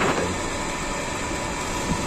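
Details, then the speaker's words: Sanyo/Shimizu jet pump with the outlet valve opened too far: rough, gravelly, snoring-like rushing over the pump hum. This is cavitation, and the fix is to close the valve a little. "That's the cavitation sound of your friends snoring, okay?"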